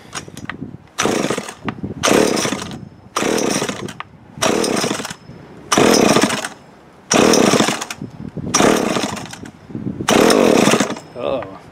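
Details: Old Remington Mighty Mite Deluxe MMD3 two-stroke chainsaw, year unknown, long stored in a shed, primed with choke open; it catches and revs in repeated bursts about every second and a half, then keeps running: a normal start.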